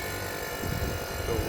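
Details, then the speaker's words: Mitsubishi ducted split AC outdoor unit that shuts off after 4-5 minutes with error P8, contactor pushed manually, drawing about 7.8 A: low steady compressor hum with both fans running smoothly, no knocking; compressor and fans normal. "तो इसका मतलब कंप्रेसर तो सही है, चल रहा है, पावर भी आ रही है। यानी इसका पावर वाला सिस्टम सही है, कंप्रेसर सही है, फैन भी दोनों चल रहे हैं।"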